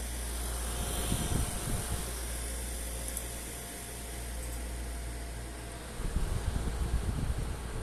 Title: ZOTAC RTX 4070 rattling noise when increasing fan speed! Please Help!